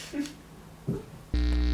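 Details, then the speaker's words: Amp plugged in with no guitar connected: a couple of quiet thumps, then loud steady low buzz with gritty edge; mains hum from the amp, suspected grounding issue in the amp itself. "so I went ahead and plugged the V amp in and you can hear the distortion from it some kind of grounding issue probably on the camp itself"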